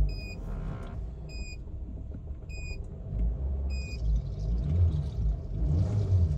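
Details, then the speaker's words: Chevrolet Cruze 1.8 engine idling after the strange noise was repaired: low, even rumble with no whine or grinding and a few chime beeps; only normal cam gear noise remains. "chỉ còn lại tiếng kêu bánh răng cam thôi ngon chưa"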